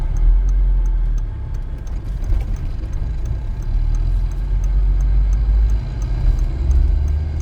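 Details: 1.8T AWM Passat B5.5 after a swap from automatic to 5-speed manual, driving in gear with AC on: light regular ticking, a rotational rattle/scrape from the bell housing that rises with wheel speed and disappears with the clutch pressed; cause unknown.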